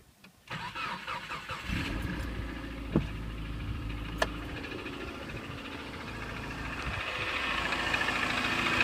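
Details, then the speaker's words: 2003 Subaru Forester XS, about 25,000 miles, cold start: boxer catches into fast idle with irregular loud ticking/pinging, loudest at left cylinder head, changing with throttle, nearly gone when warm; owner suspects piston slap; cold start ticking. "this is my 2003 subaru forrester XS with about 25,000 miles on the odometer it is starting to make a loud ticking or pinging sound on cold starts"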